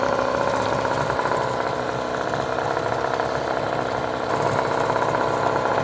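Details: Hangkai 18 hp two-stroke outboard, new after a year parked, at fast idle during 10-minute break-in, run in a trash can with no load, extra oil in gas; even buzzy idle holding steady without stumbling, healthy.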